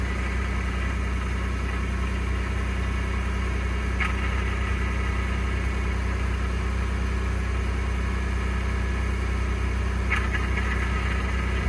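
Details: 2021 Ford F-150 PowerBoost at about 0°C cold start: steady idle with a constant rough, gravelly grinding/cavitating noise, still present two days after the dealer replaced the flex plate and separator plate; source unknown.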